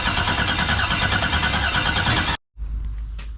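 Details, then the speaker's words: 1989 Box Chevy with a new starter and an external fuel pressure regulator, coil pack harnesses swapped back: steady cranking for over two seconds with no catch, then stops; cranks but no start, and it sounds the same either way. "All right, she still ain't doing nothing, YouTube."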